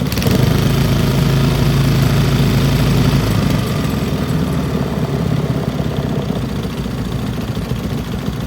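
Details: Old Briggs & Stratton single-cylinder petrol engine rescued from the trash, carburetor needle valve opened; even chugging beat, smooth enough to hold with one hand, settling lower and steady as the idle screw is backed out — smooth healthy running.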